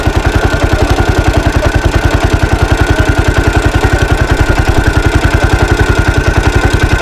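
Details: 1983 Husqvarna 510TC four-stroke single, restored after fire and recently rebuilt: crisp, even thumping fast idle, steady and regular, no ticking or clatter; sweet-sounding normal idle.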